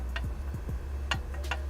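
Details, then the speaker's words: Turbo removed from Eclipse, likely Garrett T25, shaft pushed by hand: dull irregular clicks as shaft moves in and out, side-to-side play minimal; excessive axial end play on the thrust bearing. "and then it's just side to side, which is, it's pretty minimal. That's a lot of in and out."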